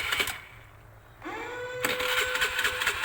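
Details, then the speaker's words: Motorcycle fitted with a fingerprint immobilizer alarm, started without a registered fingerprint: after a brief clatter a sustained electronic alarm tone sounds, and the bike cannot be started until a registered fingerprint is applied. "terdengar suara alarm berbunyi kita coba bantu dengan menempel sidik jari yang sudah terdaftar silahkan tempel Sidik jarinya"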